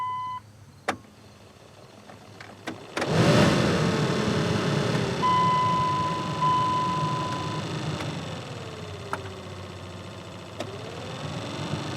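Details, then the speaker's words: 2001 Dodge Ram 1500 blower motor after reinstalling: after key-on chimes and engine start, a smooth, steady airy fan rush with no squeal or rattle; all speeds work, fault was a corroded connector between resistor and blower motor, bypassed. "Sounds like it's running to me."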